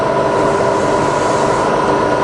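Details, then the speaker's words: Fully rebuilt Bridgeport milling machine, spindle at about 1000–1200 rpm with quill power feed cycled through highest, slowest and medium of its three feed rates; constant smooth whir with steady gear tones, no rattle or grind; all feeds working, normal. "for every spindle speed you got three different feed rates so that's the highest that's the slowest and that's the medium you see they're all working fine"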